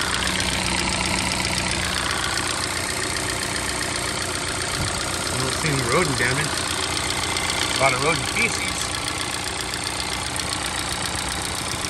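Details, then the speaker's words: Car with evap leak, camshaft position timing and knock sensor codes, engine fired up: harsh metallic rattling and ticking over an uneven idle, diesel-like; lifter noise noted, timing chains suspected to need replacing. "lifter noises sounds like a diesel that's not good"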